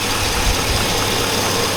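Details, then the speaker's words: 2002 Chevy Avalanche 5.3L V8. Revved just above idle to about 2,000 rpm, a dull deep knock sharpens with revs and is audible in the cab. The owner calls it rod knock and says it's getting worse. "yeah that's Rob knock who can hear it the hybrid rpms go the louder it gets really really Kathy dangling - tired"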